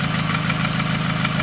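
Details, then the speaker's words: 2006–2008 Toyota Camry 2.4 L idling: sharp even ticking, roughly six or seven a second, over steady idle; owner first suspected exhaust manifold, replaced a lifter without change, finally found intake manifold noise. "it's a lot of noise for i think the exhaust adjust manifold noise from there i change a lifter it doesn't work still noise now"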